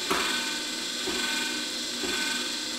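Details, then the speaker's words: Coway JuicePresso slow juicer, DC motor at 40 rpm, running normally: steady, fairly loud high gearbox whine with a soft click about once a second; louder than the AC-motor Omega VRT 330. "You hear that whining sound. We're gonna go ahead and turn that off. Nice gear sound."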